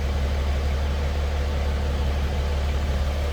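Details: 1954 GMC 250 pickup, 248 inline six single carb, heard from cab: deep steady low rumble with even unhurried beat, no knocks or ticks; normal idle.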